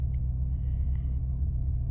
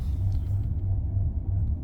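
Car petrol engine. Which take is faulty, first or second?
second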